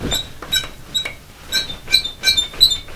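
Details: New metal slatted bed frame, squeaky and creaking after a child kept jumping on it, mattress back on after a first oil spray: sharp high squeaks about three a second, slightly uneven, as the frame flexes; still squeaking until more spray fixed it.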